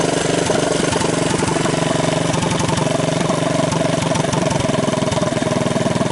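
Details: 1983 Honda ATC200 single-cylinder, cheap top-end rebuild with torn valve seat, used cylinder and used rings, started half-choked after carburetor flooding trouble: uneven but steady idle thump about three beats a second; the engine starts and keeps running.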